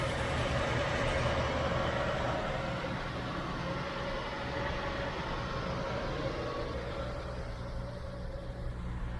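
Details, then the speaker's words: 1972 Chevy Nova V8 with temporary battery and gas tank, just driven off the trailer; steady even rumble with a smooth low beat, no knocks, misses or ticks: runs great, normal running. "dude as you can tell she runs great"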